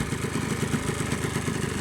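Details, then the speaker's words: Yamaha Blaster two-stroke ATV after a top-end rebuild and fresh oil: steady fast popping idle, even beat without knocking or misses; idle dips lower as though stalling but never stalls, then settles fine. "so it idles pretty good sounds good um it kind of lowered on the idle there now seems like it's going to turn off but it never turns off"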